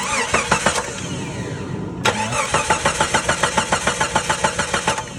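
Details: Jeep Grand Cherokee that doesn't run: the starter cranks evenly at about three compressions a second but never fires. The fuel gauge showed no fuel pressure, so a dead fuel pump is suspected; swapping in the horn relay didn't help.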